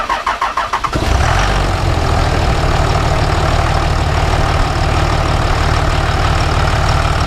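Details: Dodge just fitted with a new idler pulley and new belt, tensioner pulley removed and refitted, intake reinstalled: about a second of even cranking, then it fires and holds a smooth, steady idle with no knocks or squeals. Normal start and idle.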